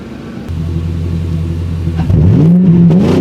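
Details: Mercury 4.6L V8, hood open in snowy weather: a deep, steady burble swells smoothly as the throttle opens, pitch climbing evenly with no misses; healthy free revving.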